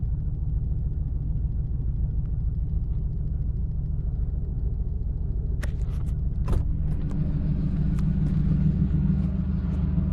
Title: LS1 Misfire